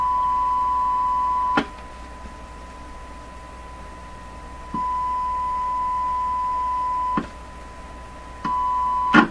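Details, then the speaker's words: Crosley 12B radio (Canadian) through a signal tracer: steady test tone coming and going cleanly with no hum, unlike the second identical radio, which has hum. "There's no hum over here."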